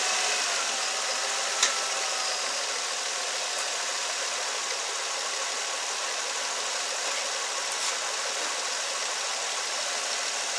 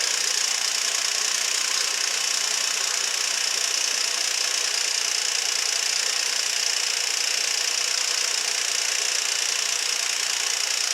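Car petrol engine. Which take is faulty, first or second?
second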